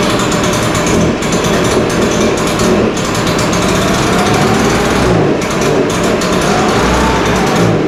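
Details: Echo PB-580T two-stroke backpack blower running in the shop, started on full choke after a new starter rope and new coil. Loud, buzzy roar holding a steady high speed with slight wavering; runs strong and even.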